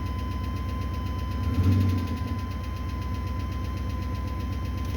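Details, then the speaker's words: 1980 Chevy C30 rollback with swapped-in 8.1 L V8 from an 03 Silverado 3500, low battery, oil pressure present, at idle: steady idle with a light regular tick about four a second; owner suspects a bad lifter. "Battery is really low. It's got oil pressure, but for some reason it's got a really bad lifter"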